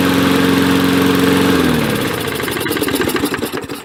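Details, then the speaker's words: 1965 Briggs & Stratton 82906 3 HP with wind-up starter, first start after long storage, suspected clogged main jet: single-cylinder putters with steady even beat, then firing pulses space out as it slows; no misses or knocks. "sounds great nice and smooth too let's turn out the fuel needle a bit"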